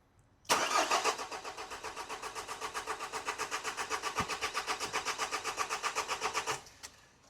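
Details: Nissan X-Trail T31 dCi diesel after aluminium cleaner was mistakenly added as DPF additive, tank and lines drained and refilled: starter churns at an even four compression beats a second for about six seconds, never catches; cranks but no start, air suspected.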